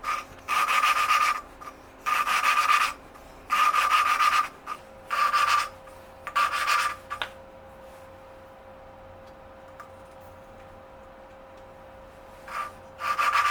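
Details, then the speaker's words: 1982 Yamaha XT200 engine rebuild, exhaust valve lapped by hand with grainy grinding compound: gritty rasping strokes in bursts of about five twists, then a pause; early rough grinding, with the compound still cutting the seat before the pitch rises. "and um at first you can really hear it like you know grinding but like once it starts like um uh uh grinding down uh it The Sound gets into a higher pitch"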